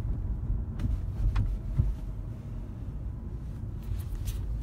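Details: Lexus CT200h: sharp knocks cut through low road rumble on the second speed bump; occurs only in cold weather, gone in summer; caused by worn strut mounts, fixed by replacing them.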